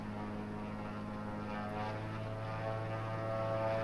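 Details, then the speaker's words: Aircraft N3318Q, engine #2, cowling off, on a hangar run-up to 2100 rpm with a magneto check. Steady, even drone with a slight dip during the mag check; a normal drop, engine healthy. "So I'm going to run it up to 2100. Go ahead and put the camera back on the gauge. There's 2100 mag check. There's your normal drop."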